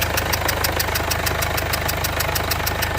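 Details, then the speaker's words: 2015 Mercedes CLA 220d diesel idling, bonnet open, engine light on, misfire and vibration complaints: a sharp, even puff-tick about three times a second over the clatter from the back of the engine, traced to a leaking injector. Injector seal compression leak. "noise it sounds like a it sounds like a puffing noise and I start to see things that I don't really like oh man but the there is definitely a sort of a puffing noise coming from the engine somewhere at the back"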